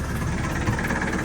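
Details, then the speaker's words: Sailboat diesel engine after hydrolock from seawater backfill (suspected mud dauber nest blockage), first flush run: steady, even low chug with no knock or miss; started fine and ran good. "All right, that was the end of round one. Yeah, she ran good, started fine."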